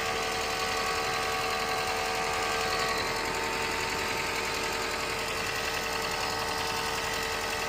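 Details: 2nd-generation Toyota Prius: steady loud whirring hiss with a faint fast buzz and constant tones whenever the heater is on; the blower is not at fault, and the cause is unexplained.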